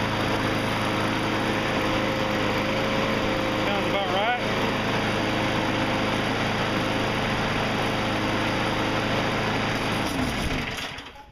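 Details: Briggs & Stratton mower engine after the governor spring adjustment set it to 3200 rpm. The small single holds a steady, even buzz at governed speed with no hunting or surging, then shuts off. Normal governed engine speed.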